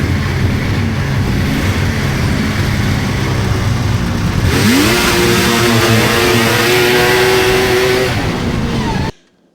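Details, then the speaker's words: 1999 Polaris XCR 700 two-stroke snowmobile, jetted rich, clutch engaging below 4,000 rpm, after adjusting drive belt deflection; revs up and settles into a steady clutch hum at idle and pulling away; earlier belt squeal gone. "Uh so, a little more messing to do with it, but overall, yeah, that belt deflection cleared that squeal right up. Um seems like it's sound. Seems like the motor sound."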